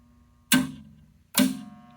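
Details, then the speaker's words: Quincy QT-54 shop air compressor converted to a 3-phase motor, control circuit test with pressure switch off: two sharp clunks as the main contactor pulls in, then a low steady hum from the energized coil; normal pull-in, indicator on. "we hear the buzzing of the coil in the contactor. We have our indicator on. That's what we wanted."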